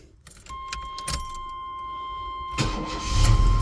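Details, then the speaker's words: 1993 Chevy S10 Blazer after engine install and timing set about 1-2 degrees positive: brief crank, catches at once and runs steadily with a faint whine; alternator noisy, owner suspects failing battery; running good, great oil pressure, slightly hot. "Fires up real quick. Alternator's pretty noisy."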